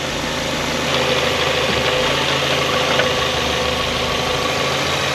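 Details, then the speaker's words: 1994 Eunos Roadster (Miata) after ignition work: steady four-cylinder idle at about 600 rpm, no hunting; previously floated between 300 and 600 rpm and tried to stall. "She's idling steady now. Before, when she'd idle, she would she would float between what, 300 and 600 rpm, but she's sitting steady at six now."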